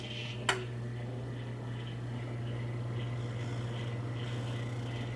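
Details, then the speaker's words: Household microwave run for 30 seconds on about 83–84 V mains after a storm damaged a neighbourhood transformer: a click, then a weak, deep steady hum, sounding starved and labouring from undervoltage. "because we don't have a correct voltage it's not good power it's dirty power and let me just demonstrate that on the microwave put 30 seconds"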